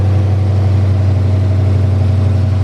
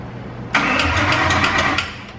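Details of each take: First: Freshly installed 5.2L Coyote V8, first start, new tune: initial tensioner clicking stopped once oil pressure built; deep steady idle with even beat, no ticking or clatter; normal idle. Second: 5.2L Coyote engine swap, first crank after flashing a new tune, no coolant yet. Rapid ticking for about a second while cranking without firing: the chain tensioners clatter before oil pressure builds, and the noise went away once it ran.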